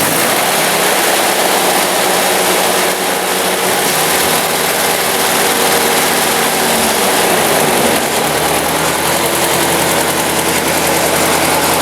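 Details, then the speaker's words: 1954 Ford Jubilee NAA tractor, 134ci four-cylinder, first start after Pertronix 1244A electronic ignition conversion, out of gear: steady even idle with no misses or bogging, timing sounds good, smoother than before. "I would say that is a successful conversion. Timing sounds good too. No bogging. Nice smooth idle."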